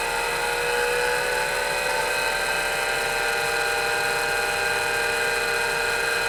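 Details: MiniScribe hard drive in a 40-year-old IBM 5161 expansion unit on an IBM PC 5150, mic close to the drive: loud high whine wandering in pitch during a slow spin-up before settling to steady speed.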